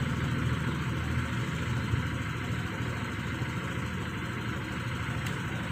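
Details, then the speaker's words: Honda Vario 125 scooter after CVT service, actuator cleaning and idle adjustment: steady, even low idle with soft regular putter, no misses or knocks. Normal idle. "stasionernya sudah enak ya"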